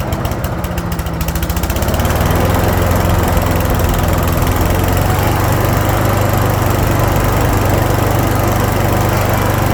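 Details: 2014 Troy-Bilt chipper/leaf shredder vacuum, Briggs & Stratton engine, after flushing a gummed carburetor (stale fuel starvation) and adding a fuel shut-off valve: catches within a second, then a steady, even single-cylinder run with no misses or surging; running normally.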